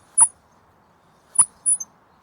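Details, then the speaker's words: Lexmoto Venom SK125-22 motorcycle on the centre stand with the front wheel turned by hand: short, sharp high squeaks as the front brake caliper drags on the disc; the caliper is to be removed, inspected for rust and serviced. "you could actually hear it if I Wallace on the centrist and moved my front wheel you could hear it squeaking but quite the law"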